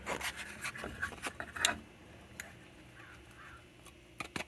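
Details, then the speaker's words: 1952 Hallicrafters 5R500 clock radio, replacement speaker: irregular dry scratching and rasping clicks from the cone as the voice coil rubs in the magnet gap; speaker bad. "the speaker the replacement speakers is bad you hear that that is the sound of the field coil rubbing against itself well not the field coil the voice coil"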